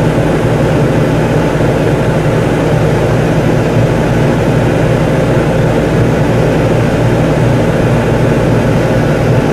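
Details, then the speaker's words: Whynter ARC-14SH 14,000 BTU portable air conditioner in a bedroom, cooling mode, full fan, compressor just kicked in, about 67 dB: loud steady low hum with even rushing fan, no knocks or rattles; running normally. "okay this is a cooling mode with full power fan and sir this compressor kicked in"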